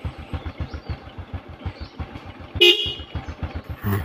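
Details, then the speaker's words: 2013 Honda Supra X 125 R motorcycle with a Denso Fortuner/Innova car horn wired through a relay: a steady thumping idle, then one short, loud car-style horn blast with a clean two-tone pitch. The horn works properly. "seperti suara mobil dan pasangnya harus pasang 22"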